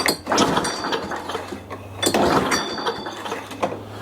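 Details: Older Toro 21-inch self-propelled mower, sat dry in a shed about 10 years, tried off choke after starting fluid; three pull-cord rattles about 1.6 s apart, dry clatter with no firing; spark plug later found bridged with carbon.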